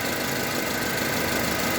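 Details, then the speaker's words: Honda HR-V CVT: quiet in neutral, but a steady mid-pitched hum appears over idle when shifted into Drive; owner suspects bearings, cause unconfirmed. "А сейчас, когда D включаешь, вот такой гуд появляется. Вот где-то здесь вот"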